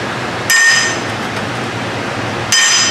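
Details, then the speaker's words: Rear-end (differential) rebuild on a wagon: bearing race driven into its bore with a punch and hammer; two sharp metallic blows, the second brighter and higher pitched, the tone change showing the race is fully seated. "you need a bigger punch now probably i think i'm moving it on down huh she's moving she's almost there i think she's there"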